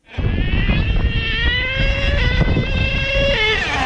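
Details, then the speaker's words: HPI Savage XL K5.9 nitro RC truck after transmission work, previously stuck in one gear: the high-pitched engine revs, with the pitch dropping and climbing again at each change; all three speeds now shift, though the timing still needs adjustment. "Yep, I heard the 3. I heard the 3 times shifted. Oh man, I'm happy."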